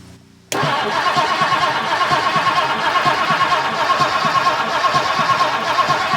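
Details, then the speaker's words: 1958 Mercury Montclair Turnpike Cruiser, not run since about 1994, after its battery connections were cleaned: steady cranking at about one beat per second with no firing, a crank-no-start from no spark; the points are suspected. "okay so we have a no spark situation"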